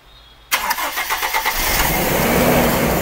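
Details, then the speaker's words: Carbureted engine just started during vacuum-leak troubleshooting with brake cleaner at hand: stumbles and misfires with a surging, hunting idle, air leaking at the carburetor. Rough surging idle from vacuum leak. "gumagana na po. Pero, palyado to. Ayan, no? Umaalon. Kapag po ganyan kasi, mga kapatid, mayroong hangin or vacuum na lusot dito sa karburador."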